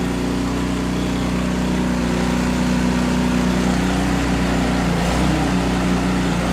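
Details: Canadiana snowblower, Briggs & Stratton 800 series engine, choke on, fresh fuel, after an ultrasonic carburetor clean: drones steadily, then speed wavers and hunts up and down around five seconds; surging from a lean mixture, confirmed by the spark plug.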